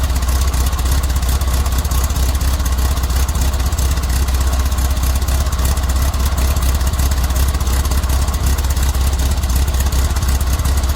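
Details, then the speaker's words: VW Squareback, air-cooled, cold start with Bug-type quiet pack muffler fitted: steady idle chuff with dull, muffled exhaust note and little crispness; exhaust sounds restricted, suspected, not confirmed. "all I do a little cold start and uh listen to what she sounds like she sounds a little muffled like it's restricted"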